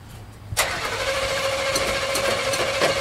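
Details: Demolition derby car: starter clunks in, motor whirs steadily with thin whine and light ticks, engine never catches; starter possibly burnt out, not confirmed.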